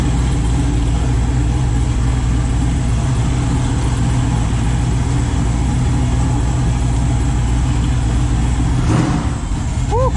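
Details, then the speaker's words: Chevy S10 with freshly rebuilt 408 stroker LS V8 (crank previously bent) at idle: deep, steady low rumble, no knocks, ticks or stumbles; good oil pressure; owner unsure of MAP sensor/tune; sounds quiet and smooth, normal idle. "everything sounds good it sounds quiet engine sounds smooth"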